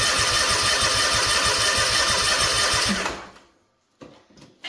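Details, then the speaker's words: Freshly rebuilt Kawasaki FR730V in a Cub Cadet SX60; steady cranking about three turns a second, never catches, no fuel reaching the carburetor because a second tank shutoff was closed. Cranks but no start, no fuel supply. "Oh, we're not going to have fuel, guys. There's a second fuel shut off up here."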